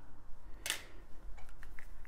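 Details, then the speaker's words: Amiga 2000 rebuilt after an eBay scam, loading a test disk: a sharp clack, then light ticking as the head steps, with the mouse pointer appearing; the floppy drive loads normally. "yeah we're getting to the disk drive in a minute but you can hear it working and you can see it loading because that's mouse pointer that is my test disk right now"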